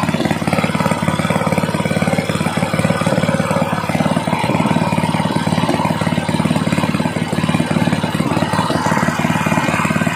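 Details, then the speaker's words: Small single-cylinder gasoline water pump engine, misfiring after long disuse, after carburetor cleaning and magneto ignition work, held at raised rpm: even clean firing beat, no misses or stumbles; normal running. "Ayun mga Sir okay na okay na maganda na yung andar niya"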